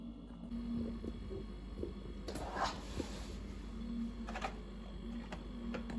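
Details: Refrigerator with steady low hum and an intermittent rough buzz from the back; a loose water drip tray vibrating on the compressor, noise dropping once the tray is secured.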